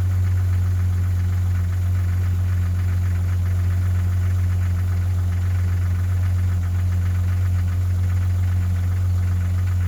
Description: Common noise for these 4 liters Jeeps. This one happens to be a 1997 Grand Cherokee